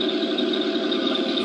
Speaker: you see they have a lot of quite quiet though like you can hear a little line out of them but it's not that racky gear noise they used to get